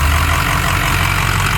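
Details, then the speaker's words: 2006 Ford F-350 6.0L V8 Powerstroke diesel, automatic 4x4, 216k miles, EGR deleted, factory head bolts, cold air intake; fires right up, steady even diesel idle clatter with no knocks or misses; normal idle. "Fires right up, runs and drives as it should."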